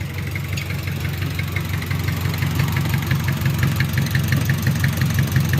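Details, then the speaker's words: Just-rebuilt Mitsubishi 4D30 100PS diesel (timing gears, injection pump, cylinder head fitted; new oil cooler O-ring), run briefly without coolant: steady, even idle clatter picks up cleanly when blipped, no knocks; normal throttle response. "Ini masih beroperasi tanpa air. Dengarkan respons akseleratornya. Oke, bagus , pedal gasnya."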